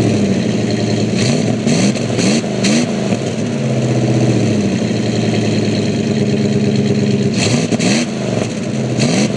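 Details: 1999 Dodge Ram 1500 with the 5.2 V8, cold start, then after running about 5 to 10 minutes the idle revs up: the idle sits high and surges up and down rather than settling. High idle, cause unknown.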